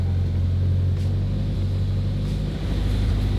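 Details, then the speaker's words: Turbo Honda S2000 started after fuel priming: low, smooth rumble that settles and holds steady with no stumbles or knocks; normal idle. "all right so it's staying on and everything's running good"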